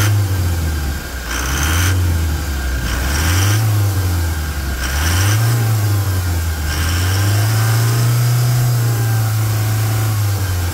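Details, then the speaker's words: Toyota Hilux diesel pickup with 440,000 km, hood open, during service for rear wheel-end bearing, control arm and oil: fires and settles into an even idle, then several clean rev blips rising and falling smoothly; normal healthy start and idle. "Ô Samurai Abre o abre o capô para mim aqui abre o capô e vamos escutar a melodia depois da partida fica aí da partida para mim olha isso sensacional né"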